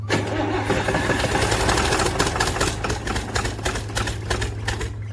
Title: Dt360 Hard start